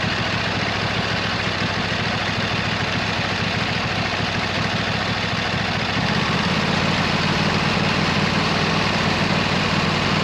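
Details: 26 HP Kohler V-twin on a lawn tractor, idling just after fitting new OEM Kohler ignition coils to cure an intermittent one-cylinder misfire; steady, even drone with a slight settle in pitch partway through; not perfect yet but much improved.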